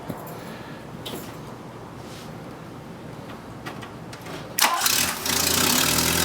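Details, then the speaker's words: 1979 Volkswagen Rabbit after replacing manifold-to-downpipe and downpipe exhaust gaskets for loud exhaust leaks; engine cranks, catches and settles into a smooth even idle without puffing or ticking, normal idle. "well alright guys we just finished putting all the bolts back together and the new gaskets are on so we're gonna fire it up and see if it's quieter now"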